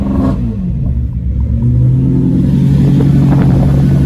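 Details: Lamborghini Murcielago after roadside repair of a blown front coolant line: deep, smooth V12 rumble revs up and holds a steady, even note without misses or knocks; sounds healthy.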